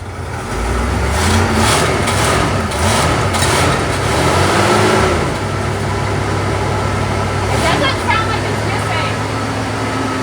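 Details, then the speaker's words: 1975 Chevrolet Monza 350 V8, first start in 12 years: even, steady idle with a low rumble and no misses or stumbles, described as super smooth and clean; normal idle. "sounds like the cam is a circle super smooth yeah super clean that's weird I I can lift my finger to shut it off but it's still running"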